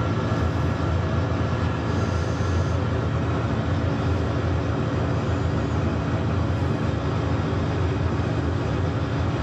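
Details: Steam boiler on a service call, locking out on low water cut-off, test-fired while checking piping for leaks, main air vent found leaking; steady even low roar, no pulsing, sputter or rumble; normal burner firing.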